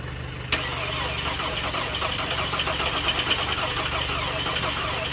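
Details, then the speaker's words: 2011 Volkswagen Tiguan first start after engine reinstalled with fresh oil and coolant: brief starter whirr, engine catches and settles to steady, even, quiet idle, no knocks or misses; smoking a little; normal start and idle. "oh i think it's warmed up and it's idling now so it sounds pretty quiet guys it's running but it's smoking a little bit"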